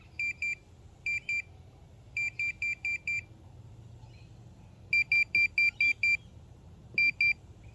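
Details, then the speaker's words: Minelab Pro-Find pinpointer passed over test sample three, a half pin folded in half: crisp high beeps in bursts of two to six on each pass. Strong, reliable detection of a fairly hefty target. "so it picks it up pretty well so this is this is a good sample showing a fairly hefty piece of metal i guess half a pin folded in half"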